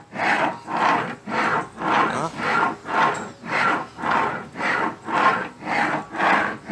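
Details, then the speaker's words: 2010 Ford Fusion V6 electric steering rack: rough rasping grind on each back-and-forth stroke, about once a second, loudest at the electric motor side. Worn rack bearing; much water entered the rack. "enfim o barulho é realmente aqui ó na caixa de direção ó bem desse lado aqui né desse modo elétrico e"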